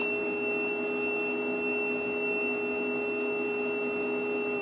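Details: Snadi 3 kW inverter, battery 26.9 V with normal output and no error: steady unbroken high-pitched beep over a quiet hum. Cleaning the board didn't stop it; the owner suspects a faulty buzzer and removed it.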